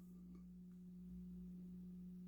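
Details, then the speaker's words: Technics SL-20 turntable after motor repair and full service, volume turned up with nothing playing; faint steady low hum at one pitch; hum quieter with an Audio-Technica cartridge, likely from the motor near the cartridge. "okay that's turned up quite a bit but you can hear the constant hum"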